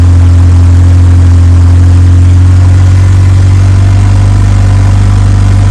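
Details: Evo 8 4G engine in an Evo 6 after fitting a lifter to remove play, cold start then warmed up: deep even idle, steady low rumble, no ticking or knocking; running clean like a normal 4G.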